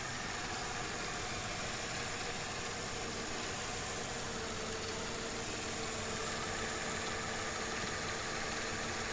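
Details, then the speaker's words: Mercedes-Benz E55 after replacing the failed belt tensioner/pulley adjuster bearing that made a loud noise on startup; quiet, smooth, even idle hum with no knock, tick or squeal from the belt side; normal idle after repair. "তো friends আলহামদুলিল্লাহ sound আর করতেছে না, একদম perfect হয়ে গেছে, আগের মতো যেরকম ইঞ্জিন থাকে সেরকমই।"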